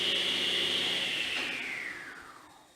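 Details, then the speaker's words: Kity 1619 table saw, roughly 10–13 years old, motor test run: high whine drops steadily in pitch and fades within about three seconds, no rubbing. Normal quick braked run-down. "comes to a pretty quick stop so for a ten year old machine that's not too bad"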